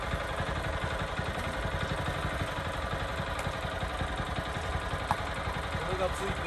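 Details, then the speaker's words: Mini tiller (small single-cylinder) that revs poorly and lacks power: low, uneven, flat and strained running; cause is a dust-clogged air cleaner, to be washed in kerosene or blown out with air, or replaced. "力がないって言うからね小さいからそんなにねぇ原因はエアクリーナーっていう空気を吸うところが詰まってる子です楽しいんで多分そうですこれが原因汚れてる"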